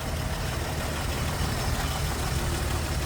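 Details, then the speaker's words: 1950 Plymouth Deluxe sedan, single-carb inline six, 12-volt system, heard in engine bay: low, even, steady idle with no knocks, misses or ticks; quiet and smooth, normal. "Inline 6, plug-in light right along. Pretty quiet, pretty smooth."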